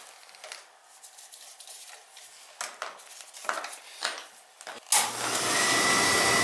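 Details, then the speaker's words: Beckett oil burner that kept tripping its reset button, after service with new nozzle, pump coupling and boiler brushed down: after some clatter, a steady, even roar lights and holds with little rollout. Firing normally. "yeah that's a lot better it's a lot better I'm not getting a lot of roll out"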